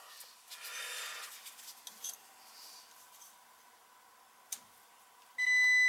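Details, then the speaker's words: Oil-fired boiler that was tripping the main electric breaker, power disconnected: a meter continuity test gives a steady high beep, showing a boiler component is shorted to ground; a second part is also found faulty. "Is our problem right there. Hear it? Yeah, it looks like it's... No, it's short at the ground."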